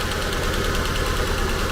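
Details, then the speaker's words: Ford Fusion with deer damage at a salvage auction: the idle has an uneven, lumpy beat with dropped pulses; misfire, a bad coil suspected. "oh it's misfiring why is it misfire it has deer damage but it's not running right"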